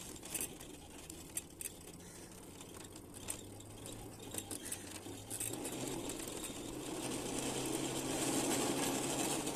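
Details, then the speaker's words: LEM electric scooter on take-off after a failed first repair attempt (battery disconnected from controller over a day to discharge it): low steady hum rising in pitch and loudness as it pulls away, earlier heard as grinding; motor drone persists, controller suspected. "let's take it off for a ride to see you can hear the horrible sound is still there"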